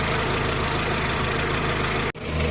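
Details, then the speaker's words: VW Jetta A4 2.0, warmed up with coolant at 90°C, after new spark plugs and wires cured misfires on cylinders 1 and 3: even steady idle with a smooth low drone, no misses; normal idle after repair. "ya está parejo acá ya ha de haber calentado porque tiene el ratito andando"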